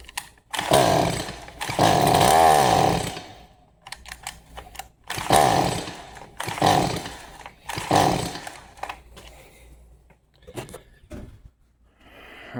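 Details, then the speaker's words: Stihl MS 180C won't-start on old fuel: on starting fluid and half choke it bursts into a ragged rev for a second or two, then dies each time. Likely a gummed-up carburetor needing cleaning. "so it will start on starting fluid. Um more than likely it's a gummed up carburetor."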